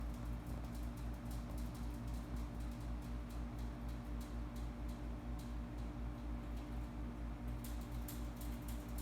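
Steady low hum from the running unit with irregular sharp crackles and ticks scattered over it, a few per second; the cause isn't identifiable.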